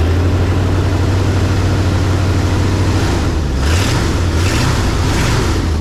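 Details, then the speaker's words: 1968 Ford F100 V8, before 4-barrel carb conversion and timing chain work, first start of the day in neutral/park: deep, even rumble with steady low beat, no knocks or misses; normal smooth idle. "I mean it's running so good why in the world you want to do something to it"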